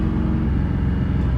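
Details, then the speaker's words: Ford F150 XLT after fixing engine hesitation, sensor refitted and codes erased, check engine light gone: deep, even engine rumble pulling steadily under acceleration with no stumble or stutter; accelerates cleanly. "yep it takes the accelerates better now does not stutter it goes then calculated load"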